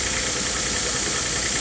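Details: 2009 Nissan Xterra V6 after new spark plugs, valve cover gaskets and upstream oxygen sensor: an even idle under strong fan and belt hiss, with no misfire, tick or stumble, and no oil leaks.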